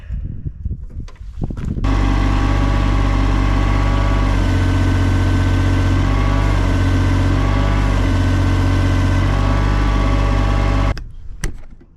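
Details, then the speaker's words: Case CX28 mini digger diesel, bucket pushing into the ground: steady load for about nine seconds with a slight pitch sag, only 1,000 PSI (about a third of normal), relief/safety valve heard blowing off; pump suspected, not confirmed. "we're only hitting 1,000 PSI so we're basically down a third or down to a third pressure and that's on this pipe here and I can hear the safety valve blown"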